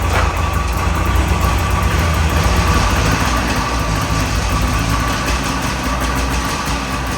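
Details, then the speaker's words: Abandoned two-stroke snowmobile after fresh top end rebuild, still slightly rough: runs steadily at fast idle with a deep, strong bark down low; problem fixed, running properly. "this thing actually has some bark down low, so we definitely fixed the problem."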